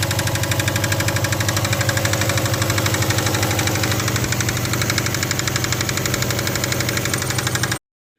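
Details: Subaru Forester engine, bought with a knocking motor: loud, regular metallic knock at about four per second over the idle, a deep bottom-end knock, cause suspected but not confirmed.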